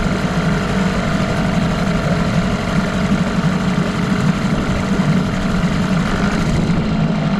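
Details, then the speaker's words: 1989 Evinrude Yachtwin 6 hp two-stroke twin outboard, bought as a parts motor, run after a JB Weld repair: uneven clocky beat under a low drone tied to engine speed; bad crankshaft knocking. "so seems to be a pretty good motor but uh it's just a shame that that crank is like that because it's not in that bad shape"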